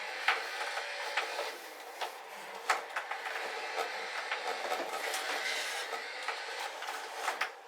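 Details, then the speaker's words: Upgraded old Logitech wheel motors, case off: a dry high rattling buzz with sharp clacks at each reversal, gear chatter from badly cut gears. "So aside from a little bit extra chatter, which obviously if you had the case on, make a little bit less chatter."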